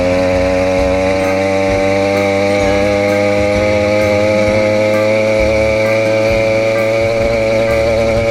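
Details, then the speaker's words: Motorized bicycle two-stroke after moving the setting up one notch, now second from the bottom: idle better but a constant buzzing drone with a soft, blubbery, "foggy" edge; owner notes it ran better richer and suspects it needs more fuel. "hard to tell if it was going faster before and now the idle's better though just from moving it up that one knot see that sounds foggy to me though"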